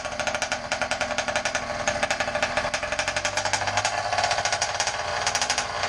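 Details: Motorized bicycle two-stroke engine warming up: fast even popping at steady idle, no misses or rattles, idle starting to come down as it warms; normal.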